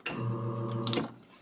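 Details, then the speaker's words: Espresso machine two-way solenoid valve: sharp click as the pump starts, steady pump hum, another click when switched off, the plunger striking its guide; solenoid actuating normally. "If you do not hear the click, click click again, then your solenoid valve most likely is not functioning properly and it is not actuating that nucleus inside. The sound of that click is actually the nucleus slapping the inside of the nucleus guide."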